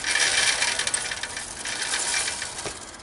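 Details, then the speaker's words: Chopper or bobber board-track motorcycle build with an Albion transmission, wheel turned by hand: light, quick metallic ticking about four times a second; builder suspects the chain's center pins are lightly hitting the case and plans to clearance it. "So I have a feeling that them pins, the center of the chain, is actually hitting the case a little bit."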